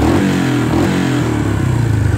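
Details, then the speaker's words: 1986 Kawasaki Bayou 300 single-cylinder with a late-80s GM HEI ignition module as backup CDI, idle set high: spits and sputters, stumbling on revs, because the module lacks the ignition advance curve. "now it will spit and sputter a little bit that idle here you can kind of hear that spit sputter a little bit it doesn't do that with the Factory CDI but it's just because this this module AGI ignition module can't do the advanced curve"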